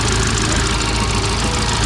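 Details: Kia Morning petrol engine after replacing and tensioning the alternator and A/C belts: steady, even idle with a smooth low hum, no slipping squeal or chirp from the belts; sounds healthy.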